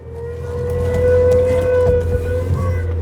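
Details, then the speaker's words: Nissan Primera P12 after bleeding the power steering, engine running with the wheel turned lock to lock: a steady, loud mid-pitched whine, no better than before. The pump is only a few months old; the car needs a new power steering pump. "That sounds horrendous. It doesn't sound any better or any different than it did before."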